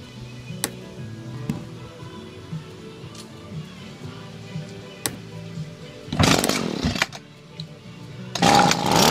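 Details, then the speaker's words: Echo SRM-230 trimmer that idles about 30 seconds then dies, with the original unrebuilt carburetor, fresh fuel, new lines and vent tube and a clear spark arrester: short ragged revving bursts that drop away instead of idling. "it just shuts off every time it won't stay idling spark arrester's fine that's clear it's got fresh gas in it fresh fuel"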